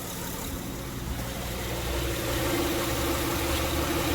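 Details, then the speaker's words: 2006 Honda Pilot, warmed up, in Drive with parking brake on under load: steady even idle with low hum, serpentine belt auto-tensioner ticking gone after replacing the tensioner. "all good problems home and just so you'll know I currently have the vehicle under load it's on drive with the parking brake on and again no sound no ticking sound so this has been successful"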